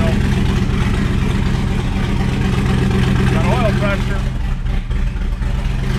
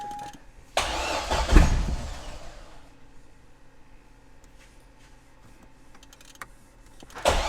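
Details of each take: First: C6 Z06 Corvette with Texas Speed heads and cam, first started after reassembly: choppy loping V8 idle about four beats a second, then a rev blip; runs evenly, normal lumpy-cam idle. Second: C6 Corvette Z06 V8 with Texas Speed heads and cam, after an engine pull: two long cranking bursts that catch briefly and die without running on.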